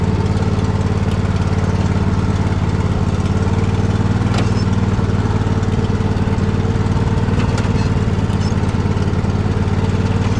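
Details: Poulan riding mower's single-cylinder engine started from cold with choke out, chugging unevenly with occasional stumbles and starting to pop; a misfire the owner believes just needs servicing.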